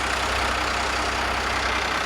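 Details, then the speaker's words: 1993 Dodge Ram W350 dually with Cummins diesel, first start: a loud open-exhaust idle, believed straight-piped, with an even, steady low pulse and no knocks or misses; it sounds well kept. "I'm going to go out on a limb and say this thing is straight piped it sure sounds like it"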